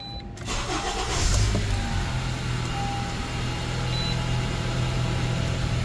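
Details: 2012 Honda CR-V 2.4L after an intake leak repair for a lean code, codes cleared: quick crank, clean catch, then a smooth, even low idle with no misses or hissing, and no engine light. Normal start and idle.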